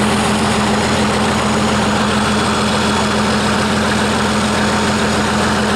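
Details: 1959 Caterpillar D337F diesel genset, about 959–960 hours, long stored in a barn, first run after revival, no load, barely up to operating temperature: steady even idle with smooth low hum, no knocks or misses; healthy.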